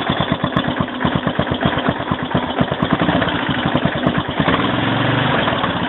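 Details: 2001 Yamaha XT600E single at 27,455 km at low rpm: thumping firing beats with a light metallic ping riding on them; owner wonders if something is wrong, source of the ping not yet known.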